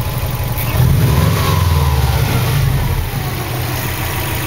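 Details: 2003 Subaru WRX that just set code P0304 (cylinder 4 misfire): uneven, loping idle with a stumble in the exhaust beat and a brief rev.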